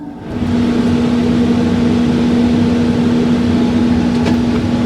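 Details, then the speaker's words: Wood stove blower set to high during first fire in a new replacement stove in a farmhouse basement: steady fan rush with constant low hum coming up to full speed and holding even; normal blower running on high. "And last but not least, I'm going to set my blower on high."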